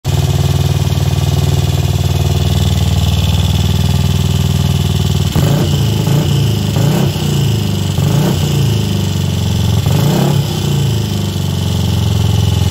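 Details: Royal Enfield Crusader, first start in 27 years (last ridden 1995): deep steady single-cylinder thump at idle, then a few quick throttle blips that rise and settle cleanly; engine runs evenly and sounds healthy.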